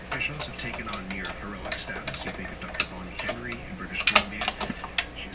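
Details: Telefunken Jubilate Delux 4561W radio: sharp irregular crackles and pops burst out when the chassis is lightly tapped with a brush handle; an intermittent connection, spot not yet found.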